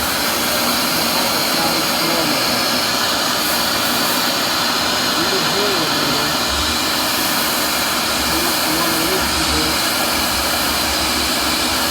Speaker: So if you're listening to that motor, this is how it's supposed to sound.